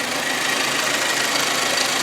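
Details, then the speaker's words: Hyundai Accent 1.6 (102 hp) idling after reassembly with flushed hydraulic lifters (four found faulty) to cure engine knock: even, steady idle with only light quick valvetrain patter, no heavy knocking; normal idle. "и теперь собираем все в обратном порядке [музыка] собрал вот как-то так работает"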